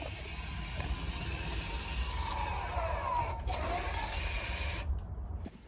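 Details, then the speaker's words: Volvo XC40 rear electronic parking brake during pad replacement, diagnostic tool closing maintenance mode: faint motor whine rising then falling over about a second; caliper motors winding normally. "and you can hear that fully winding so the diagnostic tool has wound back the motors in the calipers right back to the uh to the maintenance position"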